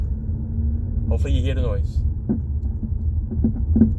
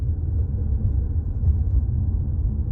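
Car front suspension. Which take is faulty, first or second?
first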